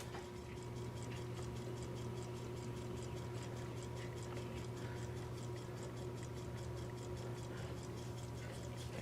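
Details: Crisp, even ticks several times a second over a low room hum from a 1974 Seth Thomas Country Pine C-cell battery clock with pre-quartz movement, just lubricated and test-run before cleaning off kitchen grease; running normally.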